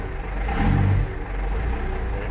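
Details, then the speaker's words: Cummins diesel dump truck, 127,000 miles, cold start; a little cold-blooded, idling quite low (owner thinks it should idle higher), blows some smoke; deep even rumble swelling with a brief rev and settling, no knocks or misses; runs good, normal running. "runs good blows smoke Oh didn't like that"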